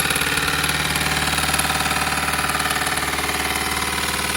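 Engine idling with a sharp, regular knock about three times a second over it, like a small jackhammer; cause not evident.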